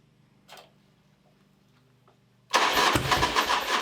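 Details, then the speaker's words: Harley V-twin bagger after a cam bearing failure and engine rebuild, with a damaged crank sensor, used fuel tank, pump, sending unit and check valve: slow laboring starter, no catch; won't start without starting fluid; cranks but no fuel delivery. "So it obviously is not starting without starting fluid, so I I got this tank used, and I used a used sending unit that I had, a used fuel pump, and a used check valve to make everything work."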